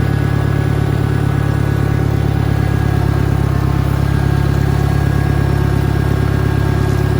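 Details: 1963 John Deere 1010, original and properly maintained, 1,000 rpm, third gear on a backyard lap, not yet warmed up (needs valve seals); even, steady engine drone with only a faint gear hum underneath. Normal transmission noise.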